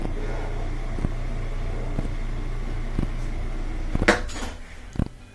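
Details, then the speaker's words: Whirlpool washer that would not spin or drain, after repair (broken motor coupler, blamed on heavy loads): steady low drum hum with a few light tub knocks, spinning up evenly with no grinding. "there we go and that's the sound you want instead of that I thought that that that that you want that that sound and we can see it's spinning great"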